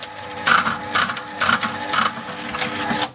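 Even clunks about once a second as the reels spin and stop in turn, then quiet; reels running properly.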